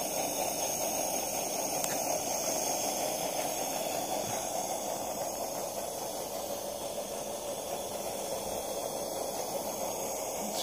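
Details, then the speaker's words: Early Coleman Quick-Lite lamp, made about 1917–1919, just lit: loud steady hiss with uneven surging underneath, chugging like a steam locomotive instead of a smooth even roar. "just got it going this is my first quick light and I'm sure this isn't supposed to sound like this sounds like a steam locomotive going down the tracks"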